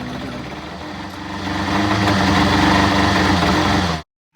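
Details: 1988 Toyota MR2 test start after timing belt replacement, front covers not yet refitted; the engine catches, runs evenly, revs slightly and shuts off with no ticking or belt slap. The owner first disliked the sound but found no problem.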